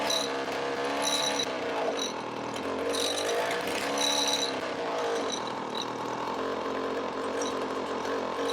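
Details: 20-year-old 50cc two-stroke mini moto engine with temporary exhaust held by elastic bands and cable tie: buzzy high-pitched snarl rising and falling with throttle blips, picking up cleanly; normal running.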